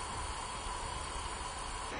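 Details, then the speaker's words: 2004 Mazda Tribute after overheat, leak-down test on second head: soft hiss at exhaust, most air leaking from intake; valves not seating, exhaust valve leak. "let's check the exhaust i hear some coming out of the exhaust but man the majority of it for sure coming out of the intake"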